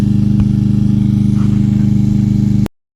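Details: Free 2020 Craftsman M320 self-propelled mower, 163cc Briggs & Stratton, said not to start, air filter clogged, possibly a stuck float freed on the ride home: smooth, constant buzzing at fixed governed speed, then a clean stop; normal running.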